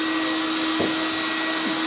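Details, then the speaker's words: CECOR SD-15 Sump Shark with a battery conversion, running on battery power on the discharge setting to empty its coolant tank into a drum. A loud, steady motor drone holds one constant hum with no surging or rattles; running smoothly. "So we can fire it up. We do have it under battery power right now. We got it on the discharge setting."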